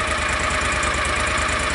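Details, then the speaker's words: John Deere Gator 625i UTV after installing a DIY welded auxiliary muffler on the stock muffler; steady, even idle with a soft regular exhaust pulse and no knocks or misses, definitely quieter, reading 82–90 dB. "So now is the moment of truth. We'll go ahead and get this thing started up and do another decibel test. It is definitely quieter."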